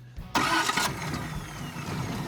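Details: Finished custom hot rod (Space Junkie) with dual carburetors, started for its new owner's first drive: quick starter burst, catches at once, then settles into a steady, even low idle with no misses or knocks; sounds healthy.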